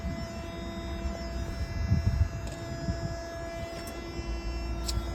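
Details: Truck reefer (refrigeration) unit diesel, started by jump from the tractor after its battery died: steady low diesel drone with constant hum, no misses or knocks; running normally.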